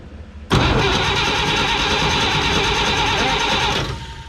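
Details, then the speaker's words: 1954 Chevrolet 3100 truck with rebuilt engine, sat 17 years in a chicken coop, cranked on jumped batteries: starter spins steadily about three seconds but never fires; crank no start, spark checks follow. "no fire no fire okay there's no explosions so okay"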